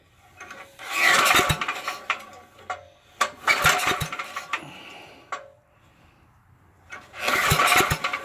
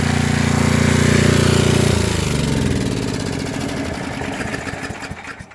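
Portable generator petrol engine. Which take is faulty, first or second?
first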